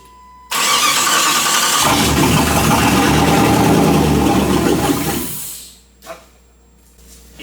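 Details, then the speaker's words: Chrysler 318 V8 swapped into a Jeep TJ with AW4 transmission, started on gas poured in by hand: runs rough for about four seconds then dies; owner suspects it needs fuel supplied. "I think it's just soon as it fires up a lot of air takes a lot of fuel so get some fuel up to it see what happens"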